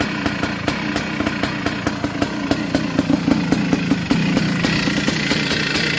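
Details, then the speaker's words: 1982 Yamaha YZ490 big-bore two-stroke, first start after fuel was poured down the head: sharp metallic rattles about five per second over a loping idle; owner thinks the old motor is worn, though these models commonly rattle. "Might just turn it off. Sounds like it's a bit rattly."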